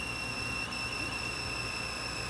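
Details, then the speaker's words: Old Ampex 197 U-matic promo tape after a 14-hour bake and overnight cool-down: steady high-pitched squeal over deck hiss as the tape sticks and screeches (sticky shed); time code on one audio channel adds a buzz. "but that screeching you see and that screeching you hear and that you see on the TV, on the screen, that's the tape itself sticking."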